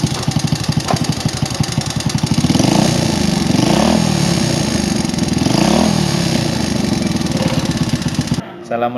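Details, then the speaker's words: Old motorcycle idling harshly with clattery sound and a couple of throttle blips, before any inspection; worn connecting-rod big-end bearing knock with piston slap. "Kondisinya bisa sama-sama kita dengar tadi, cukup kasar suaranya."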